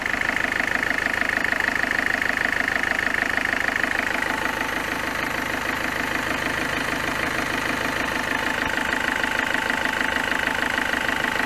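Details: Peugeot 206 1.4 HDi at 188,988 km, with complaints of stumbling at 110–130 km/h and overheating: sharp, even ticking about three times a second over the diesel idle, following revs. A faulty injector knocking.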